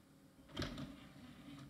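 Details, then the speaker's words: Scrapyard IDE optical drive, jumpered to master, tray operating: a brief, quiet slide ending in one soft clunk, with no grinding; the mechanism is very silent and smooth, and the drive then reads CD-ROMs fine. "okay the mechanism is very silent and very smooth so that's good"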